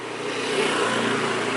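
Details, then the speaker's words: BMW E36 fuel pump running continuously with relay pins 30 and 87 jumpered, after a no-start where the relay signal was present but the relay did not switch: steady, even hum with no pulsing or surging. "Nah itu bunyi terus itu full pumpnya karena kita jumper."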